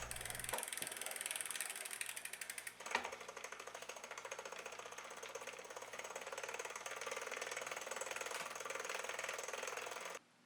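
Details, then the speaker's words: Single-speed bike with a ZTTO ZLG-01 chain tensioner: quick, slightly uneven metallic ticking, about three clicks a second, as the chain engages the aluminum pulley; noisy whatever the alignment, yet it rides fine and never drops the chain. "The noise No matter how you adjust it or align it The pulley is making the noise when it engages with the chain The noise is obvious but it doesn't affect the riding of the bike"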